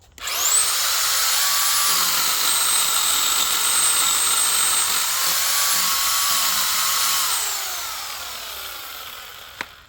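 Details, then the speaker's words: Harbor Freight electric pole chainsaw cutting limbs after its switch was cleaned (it had been cutting out mid-cut under heavy load): high motor whine holds steady through the cut without dropping out, then winds down smoothly; working normally. "That seems to be working great. I think we got it."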